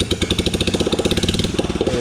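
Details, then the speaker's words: 2008 Royal Enfield Bullet Machismo 350 ES, long-stood, after restoration, running without silencer: open sharp single-cylinder thump at an even beat with harsh crackle on top; odd sound from exhaust lacking silencer. "और ये start करी हुई बिना silencer है, कुछ ऐसी अजीब सी आवाज़ आ रही"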